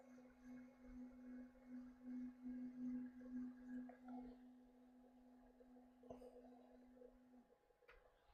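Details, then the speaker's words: Kingroon KLP1 CoreXY Klipper 3D printer on first setup, homing moves: steady stepper hum pulses unevenly two or three times a second, chunky rough motion rather than smooth, mainly on front-to-back Y moves along the rails. "oh that is not smooth motion why are you being chunky I don't like that"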